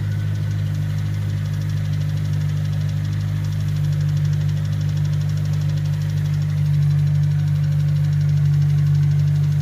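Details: Honda S2000 idling: even rapid knock over the low engine note; suspected rod knock or timing chain tensioner, not confirmed.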